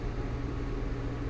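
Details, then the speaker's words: Custom water chiller for a 60W CO2 laser cutter, setpoint lowered to 60 degrees and switched from heating to cooling mode: the cooling fans kick on with a steady low hum and faint even tone, no rattles or scraping. Normal cooling fan operation. "so let's set the temperature to something lower and you should hear the fans kick on so that might be a little bit loud there you go"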